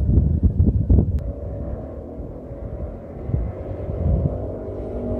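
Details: Bike with an aftermarket pipe making passes by the camera in a canyon. A cluster of sharp low gunshot-like cracks as the throttle shuts, then a fading rumble. Exhaust popping on deceleration, which the rider blames on the baffle.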